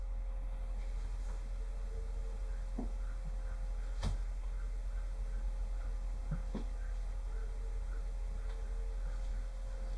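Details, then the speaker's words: Ford Flex twin turbo, front driver's seat massage pump running after rewiring to accessory relay with seats out; steady low pump hum with soft clicks as bladders fill and release, massage working normally on driver side. "that sounded like one of these two I think it's the pump on this side"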